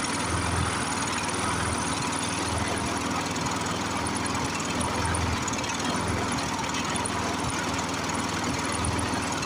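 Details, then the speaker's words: Briggs & Stratton 6.0 hp single-cylinder mower engine, seized from long sitting, run on ether, varnished sticking needle valve. Steady but lumpy, pulsing beat. Rough running; needs carburetor work, oil change and tune-up. "you can see we did get her going it really should have a carburetor and oil change tune up"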